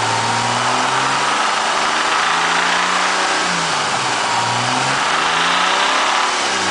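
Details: 2000 Mitsubishi Eclipse engine idling then revving up and down with a strong hissy, airy edge over the note; odd abnormal noise, cause unclear.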